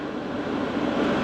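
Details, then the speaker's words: Cheap diesel air heater in a VW T4 Syncro van, running at full power. Steady, even roar with no surging or popping, hot airflow and no smoke. The box stays only slightly warm. "So now we run it with the full power, and this box stays nice and not hot and little bit warm in here, this rear end, but the front end is cold."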